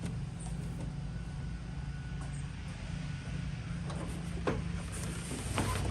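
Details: John Deere X320 mower after ignition switch replacement (part HDK445): low, steady engine hum at even speed with no stumbles, faint creaks around it; runs normally.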